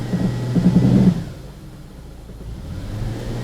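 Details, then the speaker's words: 2006 Ford Escape under load in gear, fuel trims near zero: lumpy uneven pulse dropping to a quieter rumble; intermittent misfire that doesn't happen every time, likely a weak coil. "so let's go ahead and try to get it to skip see if I can't get it to skip and hold the skip cuz this thing it doesn't want to do it every single time"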